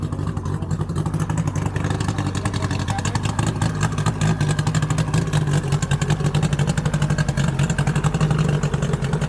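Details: 2005 Mercury 50 HP outboard, first start minutes after being fitted to replace a burned 1988 Mercury: settles into a steady, even idle with a quick regular pulse and no knocking or rattling; normal idle.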